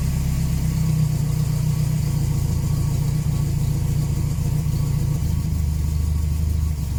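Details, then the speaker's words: 1979 Volvo 240 idling after an exhaust swap, loud, low and uneven chuffing with a puffing rasp on each pulse, running a little weird; massive exhaust leak at the manifold, later sealed and the gasket tightened. "not too bad uh it's running a little bit weird though uh there's definitely a massive exhaust leak at the manifold so maybe i'll go and try and seal that up"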